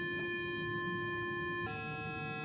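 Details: Minelab Explorer II metal detector gives a steady loud hum in the headphones, shifting tone partway; it stops when the threshold is turned down, cause unknown (owner wonders about the coil).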